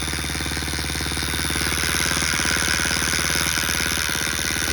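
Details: Coarse rattly buzz at fast idle from a Baja Motors DR50 (Honda XR50 copy) engine rebuilt three times, clutch adjusted; noise stops with clutch pulled in; 2nd and 3rd hard to engage; owner suspects bent kickstarter pawl ramp touching gear.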